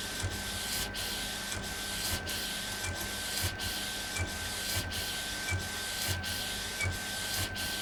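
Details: Epson Stylus Pro 4880 textile printer, first run after repair: steady, evenly spaced carriage sweeps, soft whir and constant faint tone; normal printing.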